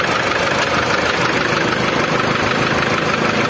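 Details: Old Mitsubishi Triton diesel idling harsh and clattery, with an uneven knock about twice a second over the rattle, plus white smoke, fuel smell and no power; consistent with a leaking injector.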